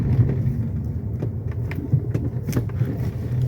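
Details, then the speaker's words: Fiat Argo HGT 1.8, 115,000 km, after stabilizer bar fix plus new heat exchanger and coolant: cabin sound over a speed bump at slightly higher speed, low rumble and soft thuds, no knock; normal suspension. "de boa tranquilo só o normal dele mesmo carro tá show de bola"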